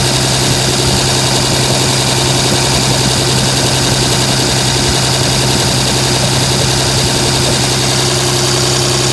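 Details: 2007 Dodge Ram 5.9 Cummins diesel idling rough for about a month, uneven stumbling beat and irregular lumps over a steady drone. Intermittent fuel rail pressure sensor, MAP sensor and overboost codes (no boost fooler fitted); owner questions blow-by and exhaust sound; cause unknown.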